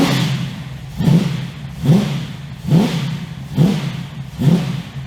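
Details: 355 stroker V8 in an HX One Tonner, restarted after 11 years unrun, Repco Engineering exhaust, recorded on a shotgun mic walking around: repeated throttle blips about once a second, each a deep clean growl settling back to a tough idle; healthy.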